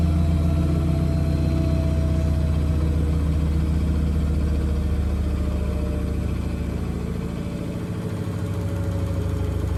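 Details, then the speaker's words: Blomberg RapidJET LWF194520QW 9kg 1400rpm washing machine spin: steady low hum and even drum rumble with no knocks (knocking otherwise occurs when out of balance); quiet, normal spin cycle. "whenever there is no knocking is quiet so it is it may start to go a bit lighter on the camera but it really is quiet so it is"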